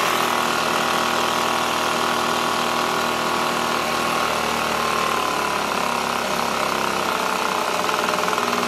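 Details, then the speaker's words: Echo PB265LN leaf blower two-stroke, freed from seizure, fuel leaking: high buzzy drone staying fast and uneven rather than settling; gas-soaked air filter suspected of blocking airflow. "this smells like gas so let's try it if that's soaked it's not allowing airflow [Applause] look idle screw all the"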